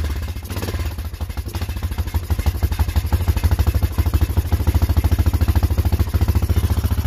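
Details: Honda Foreman ATV after carb cleaning to fix not staying running: thumping catches, firms up and settles to an even idle of about three beats a second; runs properly.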